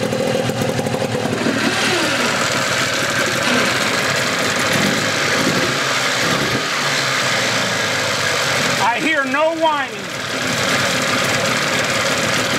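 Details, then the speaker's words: 1981 Evinrude 15 HP outboard, cowl off: steady, even two-stroke idle with a crisp buzz and no whine, so the earlier whining was in the lower unit; the powerhead sounds good. "sounds good I got my sucker off so you can hear the engine no whining so the winding was in the lower unit motor sounds good real good power heads"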